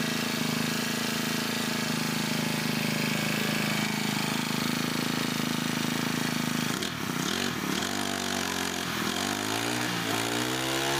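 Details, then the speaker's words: Brand-new Honda GX25 four-stroke brush cutter engine, idling then revved: steady buzzing idle, then revs rise unevenly with dips and wavers; intermittent stumble when revving. "เสียงเวลาผมเร่งเครื่องดูดีๆนะครับทุกท่านเครื่องยนต์นะครับจะมีอาการวูบเป็นบางครั้งนะครับ"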